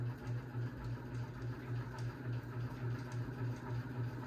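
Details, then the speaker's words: 52-inch unknown-brand bronze hugger ceiling fan on high speed: low hum with pulsing throb about 3.5 times a second; light kit and motor wobble, pull chain dancing; owner suspects a flywheel out of balance, unconfirmed. "I don't think I see the motor housing wobble too much. But the light kit and the motor definitely do wobble."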